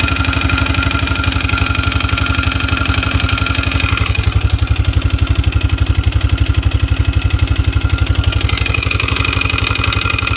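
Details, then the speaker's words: 2002 Polaris Magnum 500 single-cylinder engine at idle, smoking badly: hollow rhythmic knock over the firing pulses, suspected piston slap; top end torn down. "here we have a 2002 polaris magnum 500 it was brought to me the engine smokes pretty bad and there's a knock in there"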